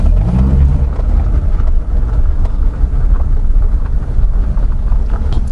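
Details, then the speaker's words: Honda CR-V rear differential after flushing and refilling with new oil, steering at full left lock: a low, steady drivetrain rumble with no creak, squeal or whine. The differential noise is fixed and engagement is smooth. "никаких звуков из редуктора нет то есть можно считать эту проблему побежденной полностью то есть все работает все подключается ничего не воет"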